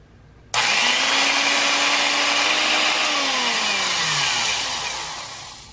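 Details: 1950s Black & Decker U-3 1/4" Deluxe Utility Drill after cleaning and repair: sudden start into an even high motor whine with brush hiss, smooth spin-down on release; owner wonders if the brushes need wearing in; no burnt smell; runs fine.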